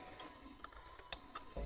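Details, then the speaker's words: 300bhp 1963 VW Beetle, key on, switch in race position, microphone placed down near the brake line lock solenoid: faint, sharp clicks, about four or five in two seconds, confirming the line lock solenoid works normally. "I don't know if you can hear that clicking, but that is the line lock solenoid. So, happy days, it all works."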